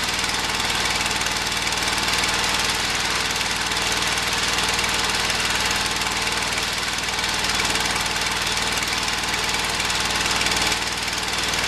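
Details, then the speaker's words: Early-1980s Ford LGT120 tractor, Kohler K301 12 hp single-cylinder, new piston fitted: runs rough with loose, uneven knocking beat and ragged rhythm; no longer runs well enough to mow, owner suspects valves or weak spark. "I mean it doesn't run well enough to cut grass with anymore"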